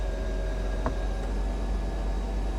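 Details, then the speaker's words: 1995 Mercedes E320 Cabriolet (W124), convertible top closed for 18 years: even low pump drone with faint steady whine and one click, no straining; top pump working normally. "Oh, it's working. It's working so good."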